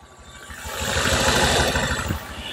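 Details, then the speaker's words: Honda Vario 150 at idle: dull, regular knocking deep in the middle of the crankcase, sharpening as revs climb and clearest around 2000–2200 rpm. Suspected from oil starvation or incorrect reassembly of the oil pump path. Engine knock. "Intinya kita analis dulu untuk suaranya jenengan perhatikan ini rpn idle ada suara KK di bagian sini"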